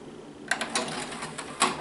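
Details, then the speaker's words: TEAC PD-800M 6-CD changer, Japanese-made, early 1990s: light plastic clicks and a short whirr as it skips to disc 3, quick and clean; normal disc change. "Y vean qué fácil cambia de disco si lo acomoda fácil."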